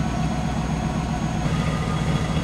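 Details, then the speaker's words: Van run after a head gasket sealant treatment, with light startup steam that fades: an even, steady low idle rumble with no skips or misfire. "does not sound like we have a misfire at all"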